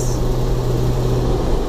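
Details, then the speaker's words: 2005 Jeep Wrangler TJ 2.4, in third gear at about 3,500 rpm above half throttle climbing a hill: steady engine drone with a high, fast metallic ticking/knocking rattle like marbles in a can, louder with revs. No codes or exhaust leaks; new timing belt and plugs didn't help. Cause unknown. "Keep it over half throttle. And it makes that noise. It's just like something's coming apart, but it's been doing it for a while now."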